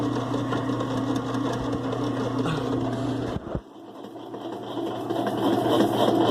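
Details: 2005 Kenmore 70 Series direct-drive washer running with the water pump disconnected: smooth low motor hum, no grinding or rattle, winding down quietly; runs clean without the pump.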